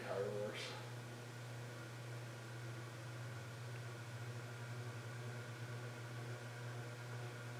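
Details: CEC Newport ceiling fan, rescued from an abandoned building after supposedly running on high reverse for over ten years: steady loud low hum at one even pitch, no wobble or knock, running on high in reverse.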